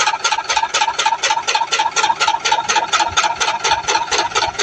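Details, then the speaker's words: LG inverter washing machine during spin as the drum speeds up, motor and gearbox area found clear: regular scraping swish about twice a second locked to drum rotation; foreign object inside the drum, drum to be opened. "Confirm ada benda something. So jalan penyelesaiannya kita perlu buka dia punya drum ni. Kita check tengok apa benda yang berbunyi tu."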